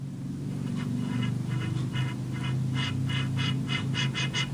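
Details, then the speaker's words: Philco 37-2670 radio restoration after a new dial scale was installed. A repeating dry scrape comes with each pass of the dial over a low hum, getting quicker toward the end. The dial is rubbing metal at its rear contact point, to be fixed by gluing felt there. "our first problem is saw but we have another noise coming from the rear where it's hitting listen to"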